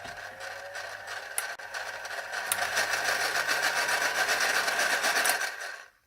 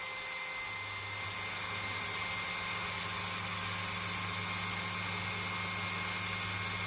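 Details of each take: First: Philips hand mixer running: a fast, even rattling buzz at about four beats a second over a thin raspy whine. Dry gears from lack of lubrication; the fix is greasing with Vaseline. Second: Older Philips hand mixer after gearbox regreasing, lowest speed: smooth even motor hum speeding up as grease settles, no rattle or grinding; normal running.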